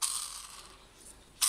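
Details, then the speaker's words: Black & Decker lawn mower whose motor locks and won't turn: a hand-spun motor bearing gives a dry, gritty rasping whir instead of a smooth spin; the worn bearing needs replacing. "เนี่ยเสียงเหมือนลูกปืนมันมันไม่มันไม่คอนฮะแต่ว่าเสียงเหมือนไม่รู้ปืนไม่มีแล้วเนี่ย"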